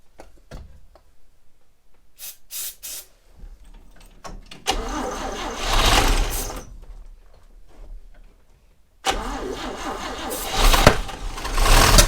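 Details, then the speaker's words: 1960 Chevrolet Step Van: it cranks, catches twice and runs rough with an uneven clickety-clackity clatter on top. The owner thinks it would pull with a good fuel source. The cause of the ticking top end is unclear. "it runs it turns over it's a little it's a little clickety-clackity but i bet with a good fuel source i bet this thing would pull"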